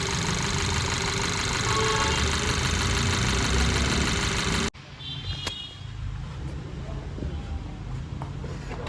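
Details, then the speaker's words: Skoda Superb petrol at idle with codes P0303 cylinder 3 misfire and P0352/P0353 ignition coil B/C circuit: uneven, stumbling, loping idle over steady engine hum, much worse with AC on; engine misfire. "इस तरीके से लड़धड़ रही है चलते हैं इसको देखते हैं क्या निकलता है एसी चलाने पे तो बहुत ज्यादा कर रही है"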